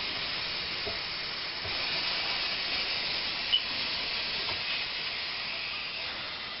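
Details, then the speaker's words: Re-priming a well pump after the well ran dry in a dry summer: water is run back in at low flow to fill the pump, and a steady high airy hiss with faint pulses comes as air is pushed out. "You're going to get a blast of air in a second."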